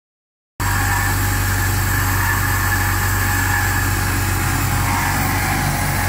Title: Still making squealing sound - DISA Unplugged